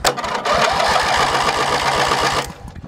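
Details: Hechinger (MTD) lawn tractor cranked with a borrowed battery after a weak-starter check: starter spins the engine with an even chuff of about four compression strokes a second for two seconds; healthy, normal cranking.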